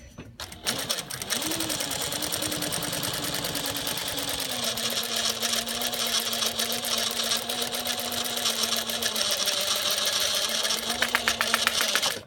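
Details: Juki DLN-415 servo-motor sewing machine at mid sewing speed: steady mid-pitched whine under fast stitch clatter from inside the head near the stitch length dial and feed control lever; not a belt rubbing, exact source unclear.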